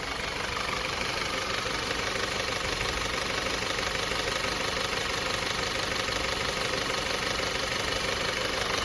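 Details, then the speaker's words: 2014 Audi A4 2.0T that burns oil, after a new PCV valve and ignition coils that didn't help; steady idle with a constant fast metallic rattle about three per second, cause unknown. "Start it up, show y'all what it do real quick. Motherfucker rattling like a motherfucker."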